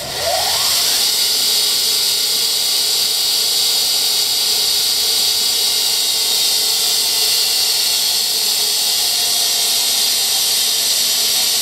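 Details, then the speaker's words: 1963 Heald 5 HP Model 273-A internal grinder, wheelhead motor running: high whine climbs then holds an even smooth hiss with no grinding or knocking; motor and head bearings and belt in good shape. "What you're hearing here is just the motor. It's just the motor, just in general. Bearings are in good shape in the motor and in the head."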